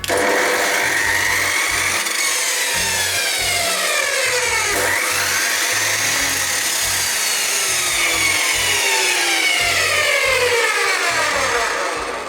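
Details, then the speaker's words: Panzer PT83937 355mm 2400W abrasive metal chop saw started through a homemade variac soft-start device set low, then raised: the motor whine sweeps upward in pitch as speed climbs, then holds a steady high tone. Normal, smooth soft start. "So a little device like that is a soft start for that. It is a simple homemade device, that one."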